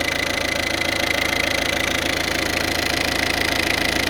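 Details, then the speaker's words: Peugeot 406 2.1 TD diesel idling after the accessory belt was removed to test the tensioner: steady idle with an even clatter, and the noise gone, confirming the accessory belt tensioner as the source. "Donc si le bruit s'arrête, s'il y a plus de bruit, ça veut dire que c'est mon mon tendeur. Je vous reprends. Vous voyez ? Donc c'était bien ça. Voilà. Plus le bruit."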